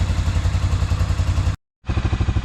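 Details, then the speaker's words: 1997 Arctic Cat Bearcat 454 ATV after carburetor repair, following 1.5 years sitting, idling outside before a test drive: even, steady low thumping, no stumbles or surges; running really good. "I got it outside and it seems to be running really good, so we'll do a little test drive with it."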